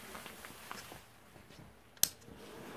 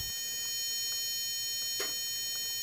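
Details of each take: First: 1200 W inverter powered by D-cell Maxwell supercapacitor pack at about 13 V, no load: sharp click then steady soft fan whoosh during self-test; normal inverter fan. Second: Home-built Maxwell Boostcap supercapacitor D-cell pack running a 1200 W modified-sine inverter: steady piercing high tone with faint ticks as pack voltage sags from 10.1 to about 9.9 volts; inverter low-voltage alarm before shutdown.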